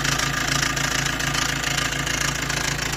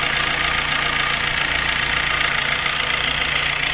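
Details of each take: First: Maruti Dezire, recorded near the engine right after start: loud, fast metallic rattle chattering steadily over the idle. The noisy timing chain set is due for replacement. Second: Maruti Dzire after timing chain replacement for heavy chain noise: a steady, even idle hum with no chain rattle or slap, settling slightly quieter midway and running smoothly. Normal idle.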